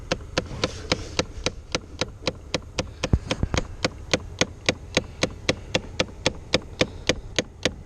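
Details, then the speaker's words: 2008 Chevrolet Impala, glove box removed, noise heard behind the dash: rapid even ticking about three to four per second, blend door actuator slipping its gears; noise later stopped intermittently. "now you can hear the noise I was talking about which is right back in here and I can feel it"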